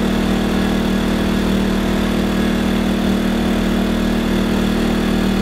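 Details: Wen 2000-watt inverter generator, new on first run for an Aliner camper, under light load: steady, even hum at a constant pitch with no surging, knocking or rattle; healthy running.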